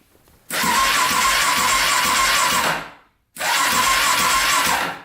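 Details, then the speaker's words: Cheap Polaris Predator 500 quad with a non-working neutral light: two strong cranking bursts of two to three seconds each, a quick, even whirr with no slowing; normal cranking before a compression test. "Starter. So that turns over at least."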